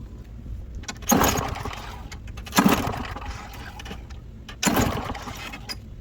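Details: Walk-behind lawn mower, pull start, that stopped starting, tried after carburetor and air filter work: three pulls, each a short rattling burst that fades; never catches. Crank, no start.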